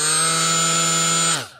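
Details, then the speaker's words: Milwaukee M12 die grinder with unbalanced Roloc disc attachment: loud, harsh high steady whine with buzzy edge winding down on release; extreme vibration and visible wobble from unbalanced disc. "you hear that really loud there's an extreme amount of vibration with that"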